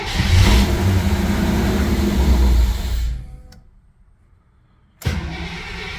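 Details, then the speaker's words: Holley Sniper EFI car at 51°F, fuel primed and a loose ground tightened: engine catches and runs strong about three seconds, then fades and dies, a stall after cold start; cause suspected, not confirmed. "All right, so started right up initially, then died."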